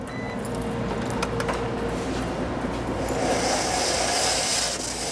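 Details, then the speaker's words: Laundromat dryer running: rough rasping metal scrape each drum turn, as a failed front drum support wheel bearing came off, dropping the drum onto the inner door panel. "and what it's doing is that drum is actually scraping on the inner side of this door panel is what you're hearing"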